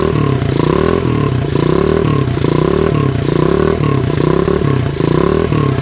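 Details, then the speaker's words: 1983 Honda XL200R single-cylinder dirt bike, first run after 15+ years sitting, burning off old oil: revs rise and fall with a light metallic top-end clatter, little smoke; top end rattle, cause unconfirmed. "it actually sounds really good doesn't smoke too bad or anything we are burning some stuff off of the engine and everything that's that's been there over the years some oil and stuff uh it does have some top end noise"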